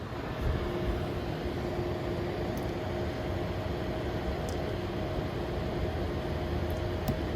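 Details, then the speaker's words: EVGA RTX 3060 Ti FTW3 Ultra graphics card fans set to 70% then 80% with case fans audible: steady airy whoosh with a faint even hum, louder at 80%, no ticking or rattle; normal fan running at high speed. "so here's the fan noise at 70 percent you can hear it ramp up here it is at eighty percent it seems louder and more so yeah it's at 80 right now"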